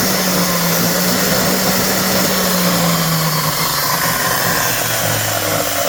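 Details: DeWalt DW871 14-inch cutoff saw, about 20 years old, bogged down and smoked cutting steel: loud, raspy whine sagging in pitch with a gritty crackle and heavy arcing. Owner suspects brushes and a dirty armature; bearings sound smooth.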